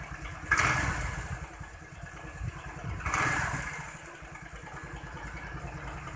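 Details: Honda Vario 110 scooter, previously stumbling on initial low-rev throttle, after air-screw adjustment: picks up cleanly on two throttle blips and settles back to even idle, no low-rev stumble; fixed.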